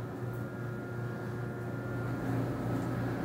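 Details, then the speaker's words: Samsung dryer drive motor at start: a steady hum with a thin high whine that grows slightly louder; the dryer shuts off after 15–20 minutes from motor overheating, pointing to a failing drive motor. "indicators of a bad motor for a dryer is you will hear a feedback once you push start in the motor due to the current electricity flowing thro"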